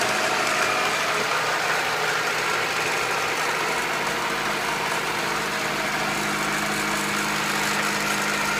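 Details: Honda B18B1 engine in an Acura Integra idling, recorded before a valve adjustment: light, fast ticking about two to three per second from the top end, suspected valve clearance needing adjustment.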